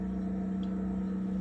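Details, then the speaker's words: Samsung RF28T5001SR fridge freezer evaporator fan: loud steady hum with low rumble, ramps up when door opens; worn motor lets the blade move in and out, causing the noise; fan part being replaced. "I took it apart the other day and the motor is kind of or the blade is kind of going in and out. That's what's making the noise."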